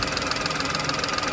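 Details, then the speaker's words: VW Polo with code P0068 idling after its air leak was fixed: smooth, steady idle with an even pulse, no hiss; fuel trims still high. "let's see just's hop out again just make sure I'm not hearing that hissing sound oh I don't believe I am I don't think there I don't think we're drawing in any"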